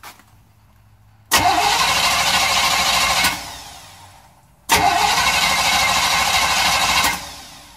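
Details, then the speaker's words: 6.5 van cranking cold on a rebuilt starter after new switch adjustment, battery about 65%: two crank bursts of about two seconds, strong even spin with no clicking or dragging; starter turning the engine fine, no check engine light. "but I turn it a little bit harder nice spin down"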